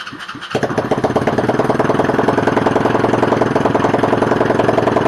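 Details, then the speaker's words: Used Chinese 125cc single-cylinder engine with electric start, after rewiring and 93-octane fuel: it catches after a few cranks, smokes a little, then settles into a quick, steady putter that idles and revs with crisp, even firing. "It idled, it revved, it started b"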